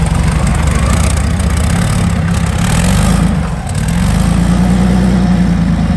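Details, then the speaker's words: Meteor Interceptor car with Centurion tank engine, first complete drivetrain test on jack stands after rewiring; warm idle, pressure 15 bar: deep, steady low rumble, no knocks or misses, healthy idle. "here we can see that the coolant temperature is up at 78 degrees celsius ignition angle 10 degrees before top dead center and the alternator is 14.0 and this is 540 rpm"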